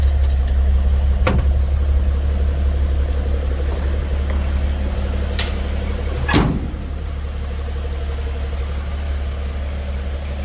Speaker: It sounds as you'd expect. Inline 6 from the 50s.